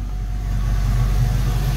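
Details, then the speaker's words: 1990 Ford Mustang GT Foxbody V8, manual, new Alloyworks 4-core radiator, idle air control valve just cleaned to fix rough idle: steady even low rumble, no misses or hunting, warming up from cool, no leaks found. "she seems to be running pretty good right now so we're just waiting for it for this to heat up"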